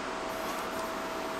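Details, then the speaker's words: Cut50L low-frequency-start plasma cutter on a CNC table cutting 1/8-inch mild steel: steady rushing hiss with a faint whistle and no electrical interference on startup. Normal plasma cut. "no electrical interference on startup so definitely low frequency start"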